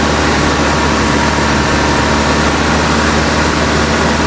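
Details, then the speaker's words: 1956 Buick Century, freshly professionally rebuilt engine during break-in at raised fast idle; steady, even low rumble with no knocks or misses; temperature around 195°, about 20 minutes running, healthy. "I'm just going through like the breakin process on the engine. So that's why the idle is up."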